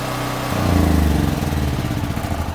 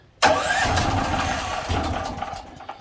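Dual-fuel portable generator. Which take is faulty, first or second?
second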